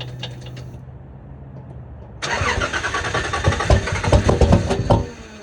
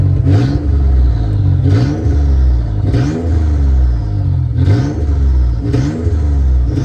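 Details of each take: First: Cold start of a Nissan Z31 with VG30E/T engine after sitting 3 months, about 50°F outside: starter catches into an uneven, lumpy idle with irregular chuffs; owner suspects leaking upper plenum and lower intake gaskets, not confirmed. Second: Nissan Z31 with VG30E/VG30ET engine after replacing the upper plenum gasket and cleaning the plenum: repeated quick throttle blips, revs climbing crisply and falling back cleanly with no stumble or hesitation; normal, healthy throttle response.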